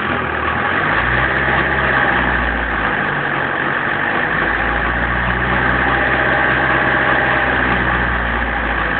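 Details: 1994 BMW 318 tds diesel under acceleration: a steady drone with a rough, uneven clatter riding on it as revs build. Abnormal engine noise, cause not determined.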